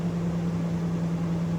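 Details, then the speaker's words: Chevrolet/GMC 5.3L truck after replacing the coolant temperature sensor, engine off before clearing codes: steady even fan hum and airflow; cooling fan keeps running after shutoff until codes are cleared. "Yeah, the fan just came on. There it goes. All right, let's cut it off. Yeah, and the fan's still running."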